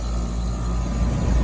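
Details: 4-ton residential AC condenser, compressor started after replacing a burnt dual capacitor and wiring, without the hard start kit: deep steady hum and low rumble, starting draw 98 A versus 117 A LRA; normal compressor start.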